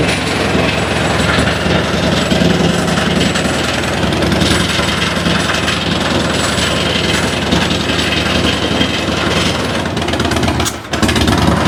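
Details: 2006 Harley-Davidson Dyna Wide Glide fuel-injected V-twin, new plugs, on lift: loud uneven lumpy running, stumbles, one cylinder cutting in and out, clatter from items on lift; threw a code; intermittent misfire.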